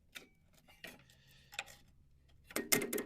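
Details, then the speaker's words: Abandoned riding mower found on a junk job, engine feels locked by hand, little or no oil, jumped with a jumper box and grounded to the block: a few sharp solenoid clicks, no cranking; starter can't turn the engine, owner suspects it's seized. "no it's the solenoid the starter can't turn the engine oh boy I think that motor might be stuck"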